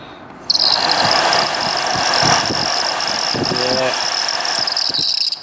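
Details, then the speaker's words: Saab 9-3 HVAC blower motor, which was not working, run on the bench with power after WD-40: a shrill, steady squeal with chirping from a dry bearing. The motor needs replacing. "you can hear that dry bearing in there."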